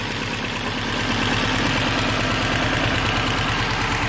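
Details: 2005 Subaru STI idling with code P0216 (intake manifold position sensor circuit low): a steady knock of about three beats a second, loudest on the passenger side. Owner suspects the intake manifold sensors or gasket; rod knock is questioned.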